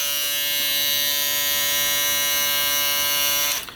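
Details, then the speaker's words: Red Pro shaver, all-plastic build, marketed as very quiet: steady high-pitched buzz at constant speed, then winds down and stops; runs loud and buzzy, not quiet at all. "not quiet. Now, I don't know how that sounded to the camera, but it's not quiet at all. They say very quiet, or it's not."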